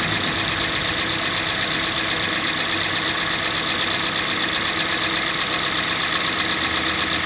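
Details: Engine knock on a 2014 Kia Sportage 3 facelift, AWD, 13,000 km: steady rapid ticking knock about two per second over a smooth idle, crisp in the upper range; owner asks whether all of these do it.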